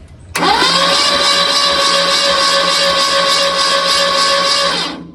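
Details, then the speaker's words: Freshly rebuilt Ford 289 V8 for a '73 Mercury Comet, on a test stand with mufflers fitted, cranked with the spark plugs out to clear oil from the cylinders and prime the fuel pump: a fast, even starter whir with no compression beats. "There's no spark plugs in it. We want it to squirt all the oil out of the cylinders."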